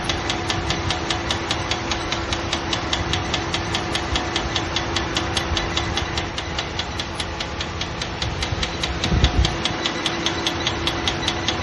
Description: Just had this weird ticking sound in my engine bay. It just started.